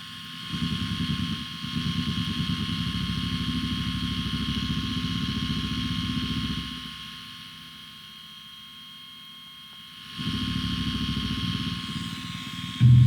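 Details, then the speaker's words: Guitar pedal with unfiltered 9 V input powered by a standard 9 V switching power supply: thin steady high-pitched whine over the signal from rapid switching clicks; fix is a Li-ion battery-based supply. "but because it switches and switches and switches and switches they're little clicks but it happens so quickly that those clicks come through as an annoying high-pitched whine"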